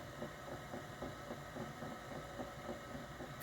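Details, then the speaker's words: Teac A3440 reel-to-reel deck clunks only in play mode: a steady, soft clunk about three to four times a second, worse when the deck is leaned forward and still present at slower speed. "okay so now furthermore uh when we turn it on it's not vibrant but if I hit play I get the clunking"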